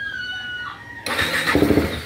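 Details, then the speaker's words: KTM Duke 390 with a new battery and a short open exhaust pipe: starter whirs strongly and winds down, the engine catches with a few ragged firing pulses and dies, taking long to start; hard starting, cranks and stalls. "nagattempt umandar namamatay ay [Musika] tumuloy umandar na mga Bossing Pero matagal pa rin hard starting pa rin"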